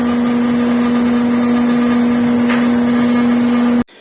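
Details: Carrier 8-ton ducted AC indoor unit, silent when installed, noisy after a year: loud steady low hum at one fixed pitch, no rhythm, then abrupt cutoff; strong vibration hum, louder with the unit fully closed up.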